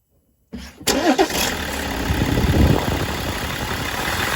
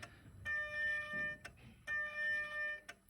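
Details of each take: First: 2007 BMW 5 Series diesel, 177,500 on the clock, with charge air pressure codes; after the sticking turbo vane actuator bar was freed, it cranks, catches within a second and settles into a steady, even idle with no whistle. Fixed. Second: BMW 5 Series diesel with charge air pressure codes 4530, 3F57, 3F97: repeating one-second buzzing electric whines as the electronic VGT actuator strains to move seized variable turbo vanes; turbo removal or freeing the vanes planned.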